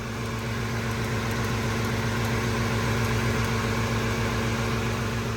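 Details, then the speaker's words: Gen1 Ford Raptor V8, 10 years old, 64,000 miles, no codes, ticking for a year and first thought to be a lifter: a steady idle with a light, fast tick of three or four a second from a coil pack arcing to ground. "it's had a tick for the last year one of the co packs is grounding on something else never noticed I noticed at first we thought it was a lifter and it's not it's just it's a coil pack that's ticking"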